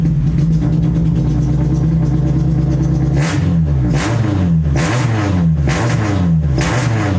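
Steady idle, then repeated throttle blips that rise and drop back unevenly; hesitant response fits a bad MAP sensor and sticking injector.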